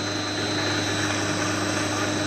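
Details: 1.5 hp single-phase 220V motor rewired (paired field windings, start switch clicks out) to run on a 1.5 kW three-phase VFD: steady even hum with faint whine, no knocks or surging; long-term heating untested.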